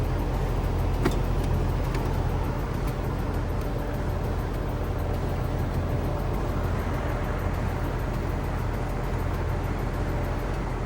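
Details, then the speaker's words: Hayward HP31204T pool heat pump: fan runs but compressor won't start, low steady electrical buzz under fan noise as the compressor tries to kick on; failed capacitor, fixed by replacing it. "There it is. That's that buzzing sound. And that means that this capacitor right here needs to be changed out."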